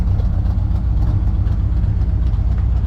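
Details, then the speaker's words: V8 with carburetor that cracked on the highway: fast, slightly uneven, lumpy idle held up only by the idle screw turned all the way up, as fuel leaks from the crack and one side; carb later replaced. "The idle, even though she sounds like she's idling really good, my idle screw is turned all the way fucking up. So that's how she's idling, because she's pissing fuel out that crack, and she's pissing fuel out the one side."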